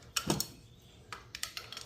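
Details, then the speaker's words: Kia engine, a little over 100,000 miles, engine off, rod rocked by hand with a ratchet. Sharp metallic metal-on-metal clacks in short bursts from worn rod bearing play: rod knock. "I don't know if you could hear that from there but we tell how far this ratchet dropping got metal on metal sound there's our rod knock"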